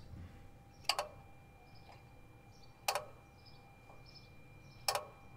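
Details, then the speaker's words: Nissan with an IPDM and no A/C relay, during the auto active test: crisp clicks about two seconds apart over a quiet background as the A/C compressor clutch engages on command; it works normally. "so i'll shut up for a second so you can hear the ac compressor clutch engaged the five times"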